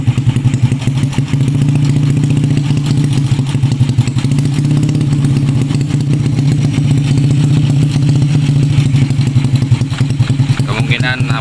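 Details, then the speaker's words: Honda Supra X 125 motorcycle after loose valve clearance (tek-tek ticking) was adjusted: steady, even single-cylinder thrum with no tapping from the head; normal running after valve adjustment. "Oke, bro. Suaranya sudah disesuaikan, bro."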